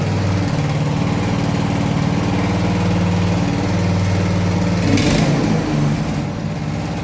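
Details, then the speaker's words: Walk-behind cultivator single-cylinder engine after cylinder head replacement for a suspected burnt valve (the valve seat had actually come loose, likely from heat): steady thumping beat, holds revs evenly without stumbling, running smooth and healthy. "все чтко не троїть роби рівно набирає рівно"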